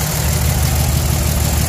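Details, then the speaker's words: 2003-07 Dodge 5.9 Cummins diesel idling after injector reinstallation, valve lash not yet adjusted: slightly uneven clatter, a little rough rather than a clean miss; cause suspected, not confirmed. "it sounds like it's got a little bit of a Miss in it maybe not necessarily A Miss but a a little bit of a rough"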